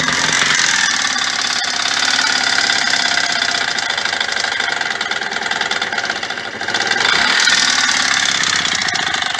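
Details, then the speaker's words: Yamaha DT125R two-stroke, first start after rebuild with new main bearings, all seals and crankcase repairs; rough idle with sharp, uneven banging a few times a second; owner suspects a failing crankshaft or possibly a head problem, cause unclear. "I don't like that banging it sounds like there's something wrong I mean maybe I did something to the head or something maybe maybe I just don't know what that sound is all about but it sounds to me like the crank shafts about to dr"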